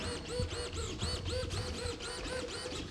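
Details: ATOMRC Killer Whale 1255mm RC plane, just bound to the receiver: quick smooth whirring sweeps about four a second with no stalling or buzzing; elevator servo working normally.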